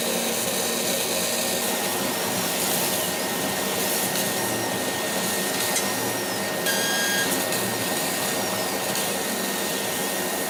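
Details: Laser cutter beam whistle during cutting: a thin steady whistle near 2 kHz over the exhaust fan rush. It appeared after about six months of operation and comes from the beam at the nozzle exit, not compressor air. Current rose 12→13 mA, with no uncut spots.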